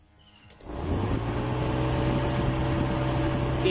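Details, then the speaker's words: Proton Wira radiator fan with the fan switch bypassed by a direct wire link, ignition switched on: a click, then a steady low electric hum at even speed. The fan spins, so the fan switch is probably faulty. "boleh dengar bunyi kipas. Dan sekarang nampak kipas dah pusing Okey."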